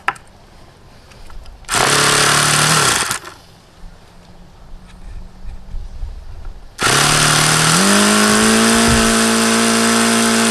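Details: HP VT 21 rotary-valve four-stroke model engine, primed with throttle fully closed: bursts up to a high buzz, dies away, then catches and runs unevenly. Rough running and won't hold an idle, an issue since day one; owner suspects the plugs and changes them.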